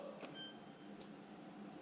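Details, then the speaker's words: Fairly new stainless GE dishwasher that has power but won't start: on pressing start, a single short high beep over a low room hum and no water runs; owner first suspects the door switch/latch: error beep, will not start. "right now we should be hearing water run the stuff and that beeping is um saying something's not right"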